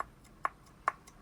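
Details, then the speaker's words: Vauxhall Astra VXR Z20LEH K04 turbo that was smoking. Rocking the shaft by hand gives crisp, light clicks about every 0.4 seconds, showing side-to-side play from a worn thrust bearing. "movement, and you can hear the noise. So now that is down to a warm thrust bearing."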